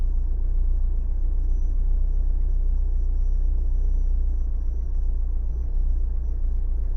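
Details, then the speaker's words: Renault/Dacia 1.5 dCi diesel idling cold: a deep, uneven, lumpy, shaking rumble, as if running on three cylinders. A bottle test points to one faulty injector causing a cold misfire, which steadies after about five minutes of warm-up. "Yeah. Yeah, it's shaking a lot. You see, now it starts really misfire."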